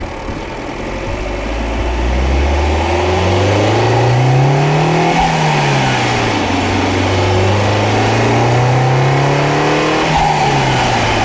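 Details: Alfa Romeo Giulietta 1.4 MultiAir 170hp accelerating: thin whine above engine note, starting above 3000 rpm and stopping around 1000 rpm or 20 km/h.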